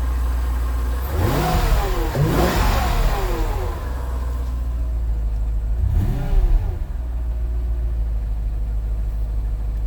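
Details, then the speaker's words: Neglected Mercedes CL55 AMG supercharged V8 (about 500 hp) starts right up, then three sharp blips rise and fall cleanly back to a steady low idle, pulling smoothly with no knocks or misses; normal start and revving, sounds pretty good. "And it does. And you know, it sounds pretty good."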